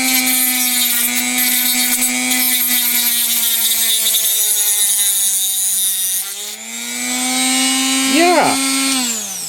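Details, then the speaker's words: Chinese replacement rotary tool with a Dremel grinding bit cutting a groove in a metal computer slot cover at ramped-up speed, with sparks. A steady high whine holds pitch through the cut and climbs smoothly, with no bogging. Normal cutting under load. "now we got some sparks flying that cut a nice Groove in there did it slow down or bog down just like the Dremel would exactly the same"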